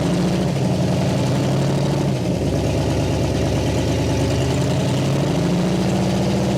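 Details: 1960 Pontiac Catalina 389 V8, first run after sitting since 1985, fed from a boat tank: steady, even idle with a low, lumpy burble, no misses or knocks; running smoothly, no fuel leaks.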